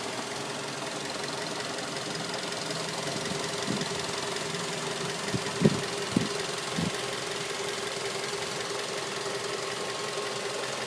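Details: 2006 Mazda 3 at idle: quiet idle with a few irregular dull knocks, about two a second at most; engine knocking at idle, cause undetermined.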